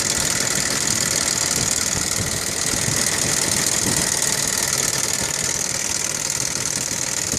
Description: My 1998 Audi V6 2.8 5V running idle with lots of noise coming from the valve cover driver side front part of the engine. This is NOT how it is supposed to sound! Maybe chain tensioner fault?